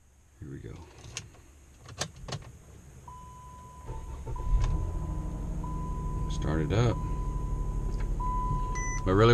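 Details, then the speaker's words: 2013 Chrysler 200 with sporadic no-start/no-crank, after adding an extra 4-gauge ground wire and reconnecting the battery: chime and clicks, then starter catches quickly and settles to a steady even idle; normal start, fix still unconfirmed. "let's try it again starting right up so let's hope that it fixed the problem"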